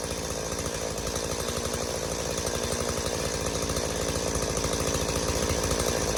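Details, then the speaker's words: Stihl MS180C two-stroke chainsaw, long unused, running after carb rebuild (new metering diaphragm, gasket, pump diaphragm and gasket, plus new spark plug); holds a steady, crisp buzz with even firing and no stumbling, fixed of bogging and dying on throttle. "all right guys there you have it steo ms180c is ready to roll again all it needed was a simple carb rebuild"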